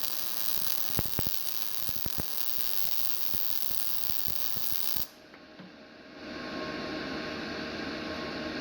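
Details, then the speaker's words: GZ Guozhi MIG 200P welder, starting at wire speed 105 and 16.4 V: a harsh crackling arc with frequent sharp pops. The heat feels a bit high. "Let me go ahead and turn the heat down a little bit. Now I'm at 105 at 16 volts. I still feel like the heat's a little bit too high."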